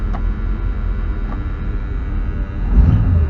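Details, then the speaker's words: 1965 Ford Thunderbird Landau V8 sitting over 15 years, now running: low, steady rumble at idle with even beat, no knocks or ticks; sounds pretty good overall, healthy idle. "Well, that sounds pretty good overall, truthfully. I think we're gonna get this down the road."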